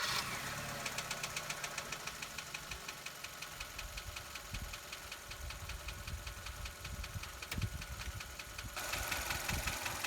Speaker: And you can hear the tapping noise right here, which is an indication of some worn valve lifters.